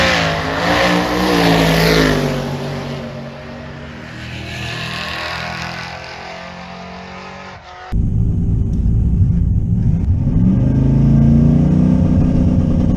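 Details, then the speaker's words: Twin-turbo third-gen Camaro on 5.84-second drag pass at 119 mph; engine note swells and sags under hard pull as boost oscillates, causing large RPM swings; boost oscillation. "the Boost is oscillating so bad it's just you I could hear it I I don't know if you can pick it up on camera but it's like it just keeps oscillating boost"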